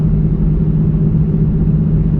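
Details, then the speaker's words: 2004 Buick Rendezvous on a test drive, accelerating up to 60: deep, steady grinding, rumbling, airplane-like growl under road noise, judged a worn wheel bearing; it seems to come from the rear, but the exact corner is uncertain. "And as we're driving, you will hear a grinding, rumbling type airplane taking off type noise. That's a wheel bearing. That's what that noise is."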